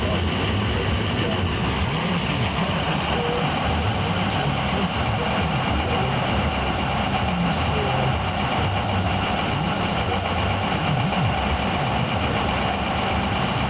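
Diesel idle hunts and stumbles unevenly with no steady rhythm, typical of a bad injection control pressure sensor upsetting fuel pressure.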